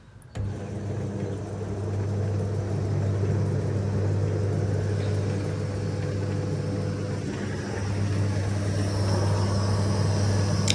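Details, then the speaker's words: AEG Electrolux Lavatherm 59800 condenser dryer with the blower fan power connection reattached: a steady, even low hum with stable pitch; the motor is now audible and running fine. "can actually hear the motor now. I couldn't hear it before, I just assumed it was on. And that seems to be running fine."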